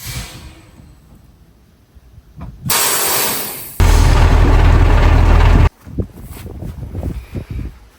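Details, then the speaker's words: KamAZ fire truck after replacing two of six brake chambers, air pressure built up: sharp bursts of compressed air as brakes apply and release, handbrake off, no leak hiss after tightening a loose air pipe. "Hamulec ręczny jest zwolniony i nie ma żadnych wycieków."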